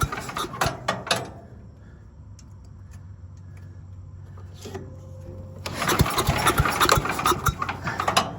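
A few sharp pulls catch, it settles into a soft, low putter, then picks up to a busier, even run without stumbling.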